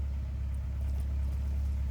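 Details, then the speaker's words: 1983 Porsche 944 after draining bad fuel, idle raised to about 1200 rpm: low, heavy idle with an uneven, lumpy pulse, hunting rather than settling, previously stalling. Rough running, cause not confirmed. "It's running so bad. Great. The idle's going up, I can hear it."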